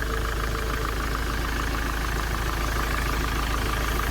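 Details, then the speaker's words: 2007 Ford Transit diesel after repair, idling steady and even with a smooth low drone and no squeal, rattle or knock; battery light is off and power steering works, a normal idle. "so there we go we are all done it sounds goo"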